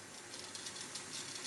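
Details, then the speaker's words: Hornby Class 31 Super Detail model diesel locomotive on a rolling road: a high buzzy whirr with gear chatter that grows louder with vibration at speed. The motor-driven fan assembly causes it, and the fan assembly is then removed. "faster we go the more noise and verbed perforation we can we can see up here and then we get into the high-speed noise"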